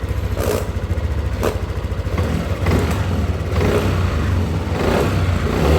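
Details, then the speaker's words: Yamaha Aerox scooter, throttle blips after replacing faulty injector that caused no power and sputtering at high rpm: picks up cleanly and drops back without stumbling or popping; fixed. "Oke, motor nyala ya. Kita coba gas untuk setelah diganti injektor ya."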